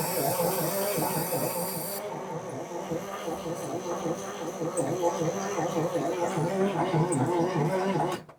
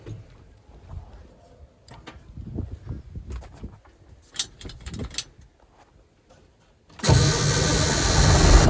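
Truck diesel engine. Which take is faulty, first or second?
first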